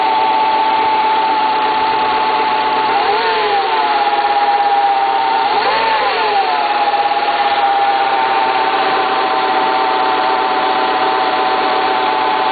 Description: bruit du moteur du scenic 1.8 à froid